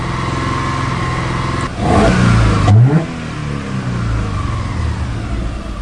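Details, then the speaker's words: Subaru Forester with codes P0032/P0037: the idle hunts, surging up and down unevenly, with fuel trims swinging from 35 to -17 percent. Front oxygen sensor heater draws zero current; the front O2 sensor is suspected faulty, rear sensor fine. "I still believe that front oxygen since it needs to be gotten rid of I don't like it you can hear it hunting up and down too"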